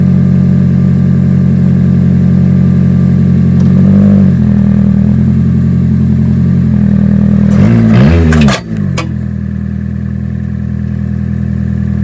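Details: 2011 Toyota Camry after breaking down on the highway: loud, deep, raw exhaust drone that swells on a quick rev. Exhaust leak suspected; owner earlier saw the flex pipe leaking and suspects it failed.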